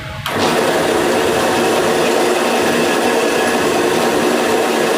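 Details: Homemade automatic motor coil winding machine, meter zeroed, winding a coil: switches on into a smooth, constant whirring hiss, no knocks or grinding; runs properly and stops automatically at the set count.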